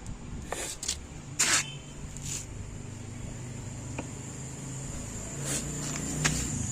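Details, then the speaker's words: Camel desk fan tested before housing and parts refitted: even unbroken low motor hum under a faint high hiss, no knocks or rubbing; spins smoothly. "So tinesting po natin to. Umikot naman."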